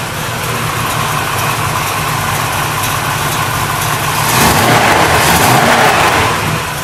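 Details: 383 Chevy V8 in a 1964 El Camino: throaty burble with even lope and a light rev blip near the end, a little noisier than hoped but idling smoothly and healthy.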